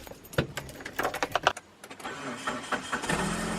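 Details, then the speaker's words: Mitsubishi Outlander, roughly 250,000 miles, oil-leaking and due a tune-up, just after replacing a dead starter that wouldn't crank: short cranking bursts, a brief pause, then it catches into a steady idle. Starter was the fault; normal start. "yeah it turned on so it was the starter and just like that guys we were able to fix the issue which was the starter"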